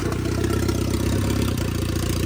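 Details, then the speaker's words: Vauxhall Corsa VXR replacement engine, after the whole wiring loom was replaced the next day: the engine catches and settles into a steady, even low idle with no knocks or misses; healthy and running spot on. "Alright guys, engine also, it's running spot on."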